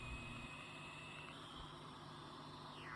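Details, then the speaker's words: Switching power supply built for WW2 German military radio receiver: steady hiss with thin high whine and lower tone in the receiver; switching supply interference, a filter is needed. "we clearly hear the noise in the receiver we cannot use this I need to design a filter"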